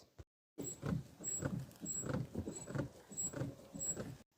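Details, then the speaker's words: Jeep front driver side gives dull repeated clunks as the front end is rocked, heard over bumps; wheel wiggle showed no play; cause a loose nut on the sway bar link. "I hear this clunking noise when driving over bumps so I want to check every component in the front driver side till I know what's causing it"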